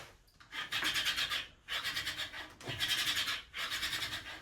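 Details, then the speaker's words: 3D-printed home gym pulley, version 2 with large bearings and steel axle, under load: four dry, rasping scrapes, one per pull, as the plastic wheel rubs the pulley side plates; washers needed to space them apart. "You can hear the actual pulley or the wheel hitting the sides of the pulley. I definitely need to put little washers in between there so it keeps them farther apart, because the wheel can right now just push up against the side, so you can hear the plastic like skimming against each other."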